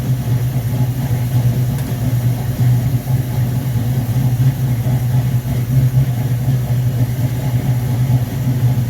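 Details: V8 on first start with a rebuilt 1969 Corvette Rochester Quadrajet 7029202, bowl damaged by ethanol fuel and cleaned: deep even low rumble, no misses, stumbles or hunting; normal idle.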